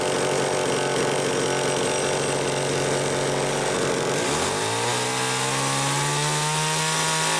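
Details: Homelite XL-500 chainsaw with optional silencer muffler, garage test run: rough lower-speed running, then smooth climb to steady clean high wail; tuned close, runs healthy.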